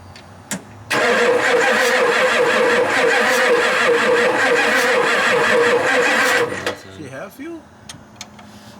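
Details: 7.3 non-turbo Power Stroke F-250 diesel sitting 10+ years: starter grinds steadily about five seconds at an even cranking beat but never catches; fuel lines were found leaking and loose, with fuel spraying and pooling in the valley.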